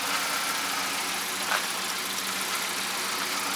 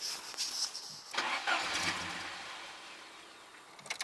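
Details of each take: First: Mercedes being sorted for idle problems, idling steadily and evenly with no stumbling or dips after the parts were cleaned again and coolant was topped up; whether it will stall while driving remains to be seen. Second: Mercedes petrol engine: starter churns in repeated bursts without catching; idle air control valve suspected stuck shut, freed by tapping, then engine starts; cause unconfirmed.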